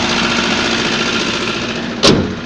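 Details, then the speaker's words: GAZ 3110 engine running at idle; fast light knocking over steady mechanical clatter; piston pin knock suspected, not confirmed; engine knock. "машину на ходу работает но стучит"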